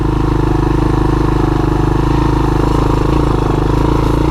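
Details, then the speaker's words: Honda TRX200SX ATV, budget build with new lower-profile tires, riding between first and second gear while mowing; strong, even single-cylinder beat pulling steadily under load with no misses, knocks or rattles, running and shifting good. "This thing runs good. Yeah, she shifts good."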